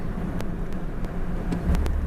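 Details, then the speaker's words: 2001 Ford Mustang 3.8 V6 manual, new EGR valve, wires and plugs but old coil pack, fine at idle, in fourth gear at about 1500 rpm under throttle: shaking, uneven pops and chuffs; misfire under load, shops cannot diagnose. "Shaking, misfiring. Horrible. Sounds like a trash car."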